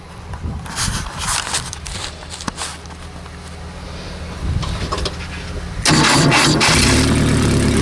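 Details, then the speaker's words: Renault R10 engine started after sitting over 20 years, following new points, a repaired broken wire to the points and a cleaned carburetor; catches first try and settles into a steady, even idle, no misses or knocks, possible exhaust gasket leak. "there you go will it start after 20 years yes it will what a great little engine"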